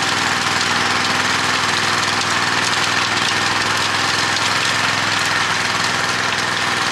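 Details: Honda F810 rotavator with tiller box, bought as a non-runner after two to three years standing in a field and revived: small engine holds a steady, busy drone while tilling, no misses, knocks or surging; running properly under load.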